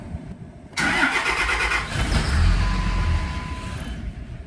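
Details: 2005 Dodge Ram 2500 diesel: long cranking before it catches into a rough run, right after fuel filter service for a water-in-fuel light, filter not pre-filled; water warning light now off.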